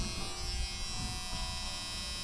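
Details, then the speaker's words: Steady, harsh buzz held evenly in a quiet cab of a 1987 Ford van at key-on before cranking, alongside seat belt and check engine lights: the normal ignition-on warning buzzer. "Now, we're going to try cranking it. Okay, here we go. We got buzzer."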